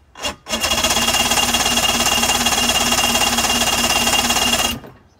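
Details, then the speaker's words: 2005 Mercury 115 two-stroke outboard on a Mako, throttle linkage checked and moving, a little throttle: about four seconds of steady rasping cranking with no firing. Cranks but won't start; owner suspects oil-fouled plugs (oil had been put in the cylinders). "What I'm going to do is I'm actually going to just pull the plugs, and we're going to check the plugs. Maybe the plugs have gotten oil fouled since I did put oil in the cylinders."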